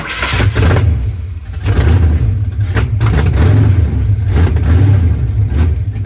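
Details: 1989 Ford Mustang GT Foxbody 5.0 V8 (cammed), first runs after starter wiring fix: hunts unevenly, revs rising and sagging every second, never settling; idle screw adjusted, still 5 volts at throttle position sensor, suspected faulty TPS.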